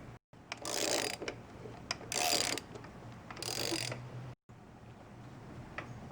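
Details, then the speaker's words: 1997 Honda Civic belt idler pulley, removed and spun by hand three times: dry, gritty rumble trailing off as it slows from a worn bearing; the new pulley spins silently. "there's the pulley as you can hear and that's why we're replacing it"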